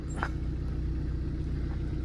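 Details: Tata Zest diesel idling after repair of a no-start caused by a broken camshaft (no rail pressure before), checked on a scan tool for rpm and rail pressure: low, steady diesel rumble, even beat, no knocks or misses; smooth idle.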